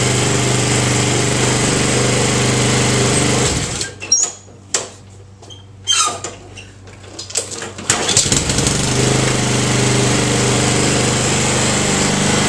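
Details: Honda Harmony II HRR216 Quattro Cut mower (title says 5.5 hp), blades removed after a strike made the blade wobble; single-cylinder runs steady, briefly drops off, then picks straight back up smoothly: normal running.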